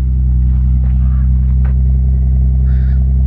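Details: Manual Lexus IS300 inline-six with 169,000 miles, engine about to be swapped into another car, idling after a clean start: steady, even low rumble, smooth pulse, no knocks or misses; healthy idle.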